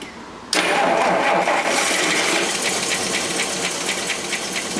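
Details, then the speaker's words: Rolls-Royce Silver Cloud III with SU carburettors being diagnosed for fail to proceed: just after start-up, light tapping over the engine quickens as the throttle opens; tapping tied to engine speed, mixture still a little too rich. "Hear that tapping? See how it speeds up when I open it up?"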